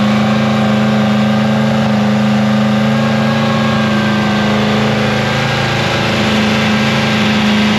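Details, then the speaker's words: Free 327ci Chevy V8 after cam and lifter swap, cold morning around -3°C, idle raised with fan running from start: steady, even drone with smooth firing and no ticking or knocking. Normal high idle. "I'm going to bring that idle right up and just let it go. Fan's on straight away as soon as I crank it."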